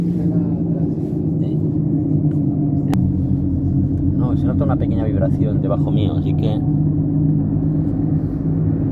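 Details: Toyota RAV4 recorded inside the cabin at road speed: deep steady droning rumble with vibration, no clicking, from a damaged left rear wheel bearing.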